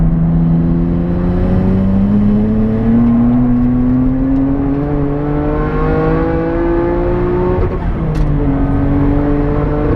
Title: R33 GTR - Misfire from blown head gasket